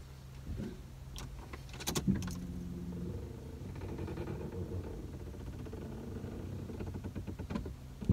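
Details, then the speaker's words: Ford Fiesta 1.6 Powershift: after standing a while, the starter cranks and catches, then a low creaking, stretching groan sounds over the settling idle and stops; source not yet found; creaking noise at startup. "Aracı ilk çalıştırdığınızda ve yani ilk çalıştırmaya başlarken ve aracı belli bir süre söndürdükten sonra bir değişik ses geliyor, bir esneme sesi geliyor, bir genleşme sesi geliyor."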